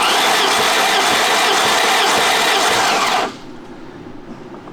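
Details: 1988 BMW E30 M3 left non-running nearly a decade, cranking during a compression test (readings about 120–150); even high whirring starter spin for about three seconds, then cuts out, no firing. Normal engine cranking.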